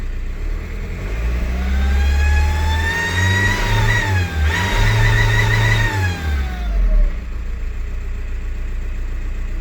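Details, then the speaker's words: 2004 VW Jetta TDI, BEW diesel engine: clear whistle starting around 2000 rpm, rising in pitch as it revs under acceleration and falling as it eases off; owner suspects the turbo, unconfirmed. "so i have my 2004 jedi vw bew motor and i have this weird whistling sound starts around 2000 maybe a little before that"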